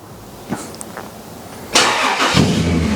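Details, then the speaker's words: 1995 Toyota 80 Series with 1FZ-FE petrol engine, first start during rebuild after helicoil work: catches and fires with an uneven, lumpy beat; rough but smoother than before, possibly bad old fuel; exhaust rattle audible. "Hey! Oop, rough. Yeah, right. So that's actually a little bit smoother than what it was last time, so I think we've obviously helped something."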